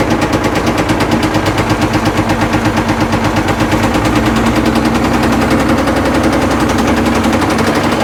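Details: Caterpillar 977L track loader diesel facing scrap, started on heavy ether: loud ragged gunfire-like bangs over a hammering, uneven engine; heavy backfiring and rough running.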